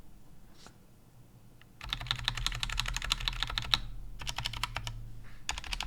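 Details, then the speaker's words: Stock GMMK Compact keyboard with unlubricated Brown switches, typing test: rapid uneven clatter with metallic spring pinging and slight scratching, attributed to the unlubed switches; lubing expected to improve the sound. "so as you can hear there are some pinging sounds and some scratching sounds but they're mostly coming from the unlooped gutter on browns"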